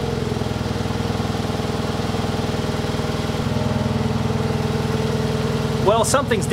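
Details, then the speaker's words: USDM Toyota Yaris 1.5L 1NZ-FE, first start after a 2ZR fuel pump assembly, 2ZZ spark plugs and a 1ZZ throttle body fix; fuel pump not heard priming; stumbling, uneven idle with cylinder misfires, throttle position sensor code and full limp mode. "something's definitely misfiring. It's gone into full limp mode."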